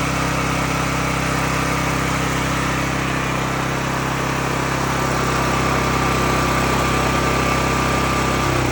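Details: Cat RP8000E generator, about 5 years old, which started then shut down immediately, running after the fix; steady, even engine hum holding one speed without surging or cutting out; normal running.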